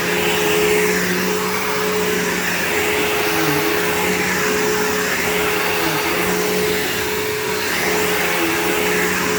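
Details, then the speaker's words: PowerForce 3522-6 vacuum bought cheap on eBay, motor running: steady, smooth high-pitched whir with even airflow rush and no rattles or grinding; the vacuum motor runs healthy. "And if the motor sounds healthy, I'm going to be incredibly happy. It's perfect. It's freaking perfect."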